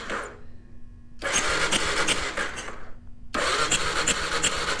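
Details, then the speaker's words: 2001 Kawasaki KLR650 that sat 4 years, spark plug out and grounded to the head to check spark, before carburetor cleaning: two bursts of fast even starter whirring, no firing, air blowing from the cylinder; compression and spark present. "Well, looks like we're 2/3 of the way there. We heard the compression, we've seen the spark, so let's pull the carburetor out, do a quick clean."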